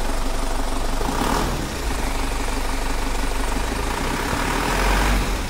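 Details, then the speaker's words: Chevrolet Tavera diesel after replacing a faulty starter motor that would not crank: starts and settles into steady even diesel clatter at idle, no misses or surges. "Newton कीजिए start कीजिए हमारी गाड़ी भी start हो चुकी है"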